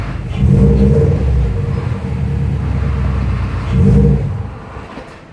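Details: 2002 Subaru WRX with a new Competition Clutch kit, lightened flywheel, TSK2 throwout bearing and under 200 miles: a low rattly rumble worsens when the clutch is pressed and grows louder as it warms. Adjusting the clutch pedal fixed it.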